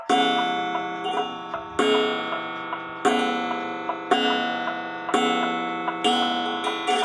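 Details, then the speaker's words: 1900 Jules Rolez gothic bracket clock during repair: hammer strikes the gong off position, about once a second, each blow ringing long with a buzzy, rattling shimmer. The hammer must hit the correct area or there is too much vibration. "Of course, you realize that the hammer has to hit in this area right here. If it gets too close to this, it sounds like crap."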